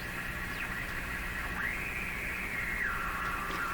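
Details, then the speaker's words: RCA Victor A38 shortwave tube radio during broadcast-band alignment at 1400 kHz: steady hiss with only a faint wavering test-tone whistle; frequency alignment seems correct but reception strength is terrible. "seems to be aligned correctly frequency wise but the strength of that is just terrible"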